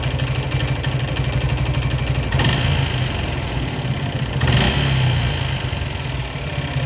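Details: Suzuki Gixxer motorcycle single-cylinder engine: runs rough with a low uneven rattle swelling on two quick revs; owner links it to piston ring setting, cause unclear. Engine noise.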